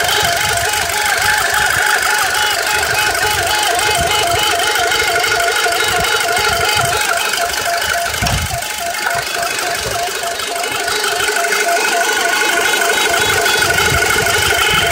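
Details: 2006 Audi A4 B7 2.0T: wavering high siren-like whine rising and falling steadily over the engine, seeming to come from the driver's-side of the engine near the oil cooler; source unknown.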